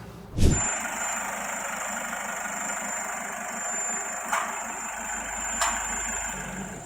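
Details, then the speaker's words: Isuzu 1.9 diesel at idle: steady high power steering pump whine that never wavers; vanes rubbing the pump housing, attributed to power steering fluid not changed on schedule or to past accident damage dropping internal pressure and wearing the vanes. "ตัวนี้เสียงนี้นะครับจากที่ประสบการณ์นะครับที่ผมเคยวิเคราะห์งานมาตัวนี้จะเป็นเสียงเกี่ยวกับชัดเจนปั๊มภูมมาลัยพาเวอร์มันทำให้ใบคลัชของปั๊มเนี่ยไปเสียดสีกับของเสื้อตัวปั๊มพาเวอร์"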